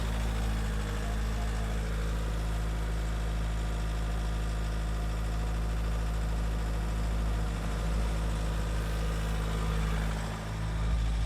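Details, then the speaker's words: Ford Galaxy Mk4 2.0 TDCi diesel ticking over around 1,000 rpm during injector adaptation/service procedure after injector one was reading far out of range: steady, even idle, diesel knock cleared, running smoothly while the DPF regenerates. "Well, the diesel knock has cleared up."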